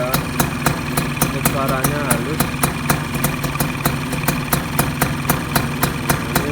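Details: Yamaha Sigma two-stroke upgraded with Yamaha F1Z R engine parts, 55 mm piston, bored and re-pressed cylinder head, first morning cold start, in break-in: even idle with steady popping beat about four a second, no knock or rattle; runs smoothly.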